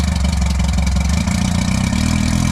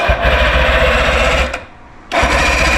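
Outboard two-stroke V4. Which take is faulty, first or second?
second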